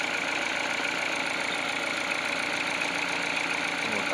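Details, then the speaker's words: Peugeot 308 at cold idle: the cold-start crackle came from a belt pulley/roller, not the engine. After greasing with Litol, idle is smooth and even with no rattle from the engine front. Healthy. "Я просто немного набил смазку литол синий модуль и трест пропал видите компас не крутится то есть машина холодная сейчас блоки нагреет и подтянется"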